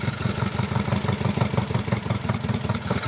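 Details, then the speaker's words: 1974 MGB with a rebuilt engine, after new carburetor gasket and jets: uneven lumpy chugging that never revs cleanly, runs only at one throttle position and floods out with more gas, no air leaks found; stumbling, won't rev. "so the throttle will only run when it is in this certain position and it's not like the idle is too low when i try and give it gas it doesn't want to go above it for some reason if i go even more"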